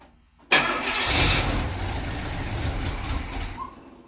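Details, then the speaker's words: Carbureted barn-find engine with varnished stale fuel, spark confirmed: brake cleaner sprayed down the carb, then brief pause before engine catches at once, running rough and loud before dying away. "I'm gonna Spritz it with some brake cleaner uh down the carb and we'll see if it lights off"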